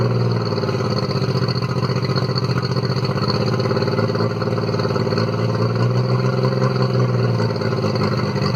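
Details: Circa-1999 Mercury 40 hp four-stroke three-carb outboard, formerly rough-idling after sitting, after carb synchronisation with CarbTune Pro: steady, even idle with smooth low drone, no misses or stumbles; idle possibly slightly high.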